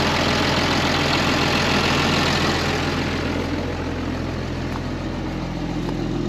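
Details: 2005 Ram 2500 diesel after the FASS lift pump and fuel lines were replaced, now drawing fuel from the tank rather than dying on the water separator as before: an even, steady idle clatter with no stumbling. A normal idle.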